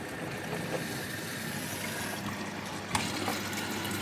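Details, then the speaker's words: Hotpoint Active Care washing machine during its first spin and rinse with about 14 minutes left: running water and pump hum with gurgling and splashy bursts as it fills quicker than it can drain. "What's that noise? Oh, it was filling up quicker than it could drain."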